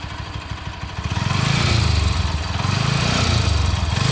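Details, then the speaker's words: Bajaj Pulsar AS 200, 6.5 years and 30,000 km: revving with an uneven, rough mechanical clatter over the exhaust beat, rising with revs; noise growing lately, also stalled while riding, hard restart, seems to run hot, laggy; cause not found. "तो पिछले कुछ टाइम से मुझे इसके इंजन की आवाज़ में कुछ बदलाव सा लगा और तब से इसकी जो इंजन नॉइज़ है वो लगातार बढ़ ही रही है।"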